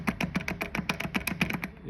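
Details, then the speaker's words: Car shimmying under acceleration, wheels and tyres fine, inner driveshaft joint rocked by hand on a lift: rapid dry clacking at about seven clicks a second. The inner CV joint is worn, dry with no grease, and has considerable play. "So when it's up on the car, you're looking for movement or noise in that inner shaft. So I mean, you can hear this one straight away."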